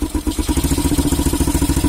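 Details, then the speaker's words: Honda CB Twister that choked and surged at full throttle, after tightening the carburetor air mixture screw about half a turn for a richer mix: crisp, even exhaust beat about fourteen pulses a second, revving cleanly without choking; misfiring almost gone. "फिर इधर आप देख सकते हैं आपको ये जो firing का प्रॉब्लम भी था वो लगभग दूर हो चुका है। ये बराबर फायरिंग कर रहा है।"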